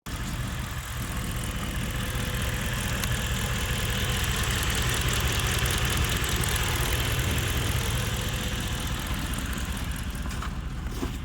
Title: Worried about lifter tick in hemi, what yall think? Cooked?